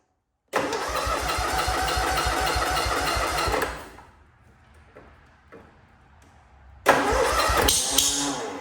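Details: Cub Cadet Cyclops with Kohler 18 hp twin, fresh 10W-40, cold start: catches fast, runs about three seconds with an uneven lumpy beat, dies, restarts; not firing on both cylinders, blown head gasket found, coil, plug or muffler also suspected.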